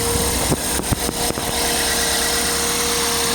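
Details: 1998 Toyota Corolla VE, 1.8L inline-4, 3-speed automatic, original engine at about 340,000 miles, hood opened while running. Steady, even idle with a light, clean hum after a few handling clunks; healthy.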